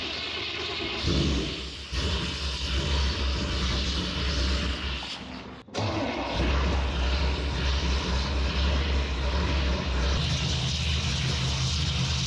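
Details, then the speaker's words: 1974 Chevrolet C10 shortbed, carbureted engine on choke: a steady, even low rumble with no stumble or hunting. It is the first idle since purchase, after a vacuum leak was fixed by replacing the vacuum port plug and the barb fitting; normal idle. "first time that's idled since I've owned [Music] it"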